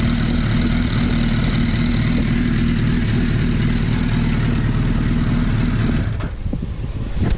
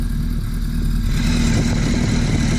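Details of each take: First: Suzuki Hayabusa idling after crank balance shaft adjustment, set roughly midway between the F and G marks: steady, even low thrum with no gear whine, then the engine cuts off near the end; normal idle. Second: Hayabusa engine idling as the crank balance shaft is turned too far: a rattle starts, then a thin gear whine; over-adjustment of the balance shaft, later set centred between the whine points and tightened.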